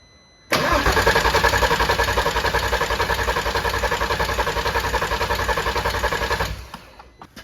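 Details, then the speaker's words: VW R32 that sat outdoors for a long time: starter cranks steadily about 3.5 times a second for six seconds and never catches; barely any fuel reaches the engine, and a clogged fuel filter or bad fuel pump is suspected. "Good, I think we either have a clogged fuel filter or the fuel pump is bad."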